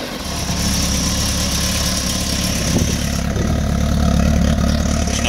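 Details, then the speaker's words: 2006 Kawasaki ZX-10R, first cold start of the day: the engine catches and settles into a steady, even idle with no smoke, knocks or rattles; healthy. "smoke there's no issues with no engine rattles"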